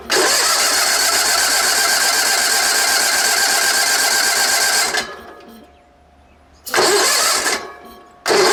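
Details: Sears Suburban SS16, 16 hp Onan twin, sat for years, in neutral with brake parts cleaner sprayed in: long steady cranking bursts with pauses between, engine never catches or runs; cranks but no start.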